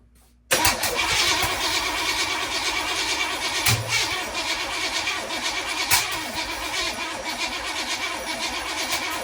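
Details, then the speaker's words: Weak, slow laboring crank with no catch on a 1981 Oldsmobile Cutlass after rebuilding the original starter and fitting a Quadrajet carb; timing rechecked. Starter sounds ready to die, suspected failing starter. "every time I try to crank this thing the starter sounds like it's ready to just kill over and die so yeah yeah we need to get another starter"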